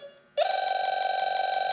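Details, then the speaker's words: A/C refrigerant leak detector (model 5650) set to R-134a, wand at created leak: low tone jumps to steady high alarm warbling several times a second; refrigerant leak detected, tool may miss minor leaks, dye better. "See it? That's where the leak is. Just I'm just showing you for um just a heads-up. This tool works really good if it's a major leak, but if it's a minor leak, sometimes this tool won't pick it up."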